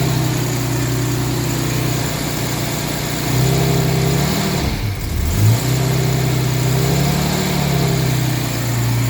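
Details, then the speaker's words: 1989 Jaguar XJS 5.3 V12 after crank and flywheel sensors replaced, intake air temperature sensor wiring break repaired and coolant temp sensor jumper removed; starts smoothly and revs cleanly through blips, settling back without stumble or misfire: normal revving, seems fixed. "Yes, that's much better. Let's see if it revs."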